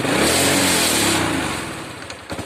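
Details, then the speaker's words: Honda Wave 100 single-cylinder, starts easily and idles fine but stumbles on acceleration: revs up loud then sags unevenly and dies. "สตาร์ทง่ายอยู่นะครับแต่ว่าเอ่อเวลาเร่งแล้วมันสะดุดนะครับเดินเบาเดินเบาดีอยู่นะครับเร่งเองไม่ค่อยดีนะครับ"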